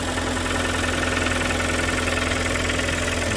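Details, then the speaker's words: Kia Sportage 3 2.0 G4KD, under 105,000 km, cold start before overhaul: steady idle with a sharp, regular metallic tapping two or three times a second over the engine. Engine knock. "Так, это сейчас холодный пуск. 105 тысяч даже нет. Веселый перестук. Все чистенько. Вот так он работает до ремонта."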